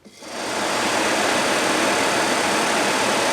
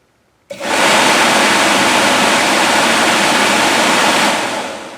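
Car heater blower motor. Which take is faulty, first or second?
first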